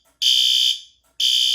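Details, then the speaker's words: Fire alarm panel drill button pressed: two loud shrill half-second horn blasts with a brief gap; horn strobes sound properly, but the CO strobes (strobe NAC) also activate and the fire door shuts, which drill normally shouldn't do. "if I press the drill button on here, not only will it activate things like our horn strobes, but it will also do our carbon monoxide strobes that go off if the CO detector is to be set off."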